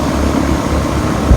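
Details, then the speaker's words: 2003 Ruud condenser after a freon leak repair at the dryer and a recharge of about another half pound, subcooling 7–8: a short, low, even fan and compressor hum with no knocks or rattles. It runs normally. "doing good it work just fine"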